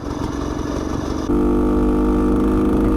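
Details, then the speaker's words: Bultaco Alpina 350 two-stroke ridden home at low revs with a dull knock of about four beats a second that rises with throttle. It is present in any gear or in neutral, so not the gearbox; the owner suspects bottom-end bearings, unconfirmed. "well i hate to say it but it's kind of a bearing noise um so i think the bottom end bearings might uh have a spot bother"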